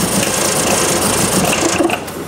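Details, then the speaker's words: 1966 Triumph Spitfire, rebuilt 1147cc engine: idles fairly fine, but with a little throttle fast uneven tapping and spitting; timing checked correct at TDC, owner doubts fuel delivery, cause unknown. "so here it is idling relatively fine as soon as I put a little big ass to it really starts then you can hear it you hear that tapping it's like tapping through the"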